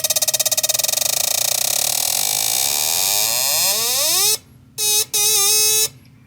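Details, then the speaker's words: MSD 6AL-2 ignition box from a 1970 455 Pontiac LeMans, suspected dead after stranding the owner, bench-tested at a Jegs store: a fast electronic buzz climbs in pitch, then chops on and off at the rev limiter; the box fires normally. "hitting our red limiter red limit I don't know if you guys can hear that or not but it's definitely got an interesting sound to it"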